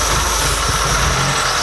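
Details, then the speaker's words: Porsche 944 after engine swap, running after reassembly: uneven, lumpy idle with a steady hiss; idle changes when sprayed with carb cleaner, intake likely not torqued, suspected vacuum leak at the intake gasket. "and while we just realized is we don't think we torque down the intake the second time we have to take it off"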